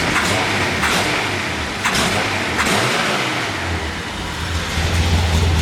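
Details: Datsun 240Z after a smoke test found a leaking balance tube gasket, replaced with a homemade gasket, carbs not yet tuned: a few throttle blips, then a steady idle at about 1000 rpm without hunting. Normal idle.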